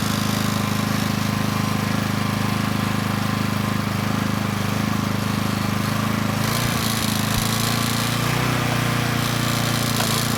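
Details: Coleman Powermate Pulse 1850 generator (PM0401850, 1996 engine 93412-0136-01) after carburetor repair and governor adjustment to about 62 Hz; steady even drone, no hunting, under a space heater load slightly over its 1500 W rating, holding 114 V; normal running.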